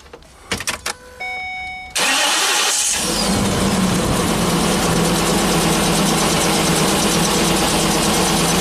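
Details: Ford E450 bus V10 with a dealer-installed replacement engine, cylinder 10 coil loosened for a spark check: fires up and lopes unevenly, cylinder 10 dead; fuel-soaked new plug points to low compression, partial misfires on about 3 cylinders.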